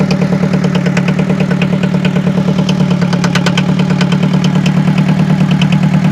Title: Forklift Engine Noise Problem | Workshop Inspection | Diesel Engine